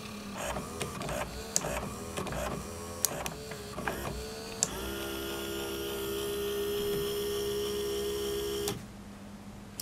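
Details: Sansui SE 9 analog graphic equalizer with preset memory, after repair (switches and potentiometers cleaned of grease, slider drive mechanism reassembled); button clicks then a smooth, even four-second motor whir as the sliders glide; motorized slider drive working properly.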